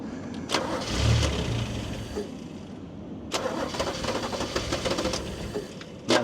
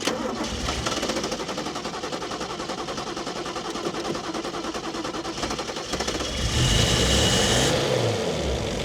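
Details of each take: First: Toyota Cressida MX32 that sat for a long time at a wrecker, after the air filter was flipped upside down: starter bursts catch briefly, then the engine stumbles and dies on repeated cranking. The filter was suspected to have been the right way originally. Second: Toyota Cressida MX32 JDM bought from a wrecker, started with a weak starter: several seconds of cranking, then it catches with a rev and settles into a steady, even run; normal running after start.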